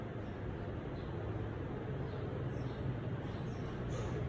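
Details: 2012 Panasonic F-EQ405 fan running with a bad capacitor: steady low hum with even soft whoosh and no speed change.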